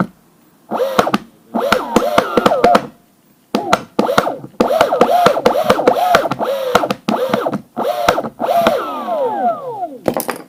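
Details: Koowheel electric skateboard: sharp, frequent clicks over a wavering motor whine rising and falling in bursts while the motor runs; cause suspected, not confirmed.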